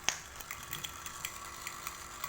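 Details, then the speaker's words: Noisy aquarium water pump still pumping water: irregular ticks and clatters, three or four sharp clicks a second over soft water hiss, from a loose, wobbling impeller; fix is cleaning scale and gluing the impeller. "Sebenarnya sih tidak, fungsinya masih sama, masih mampu mengalirkan air dari bawah ke atas, tapi bunyinya itu yang mengganggu."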